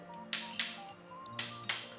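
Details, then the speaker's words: Handover inspection of a new housing unit, floor tile edges tapped with a rattle stick: five sharp taps over background music, some ringing thin and hollow rather than solid, tile not fully bonded underneath; hollow floor tile. "Nah ini suaranya beda. Agak sedikit kopong."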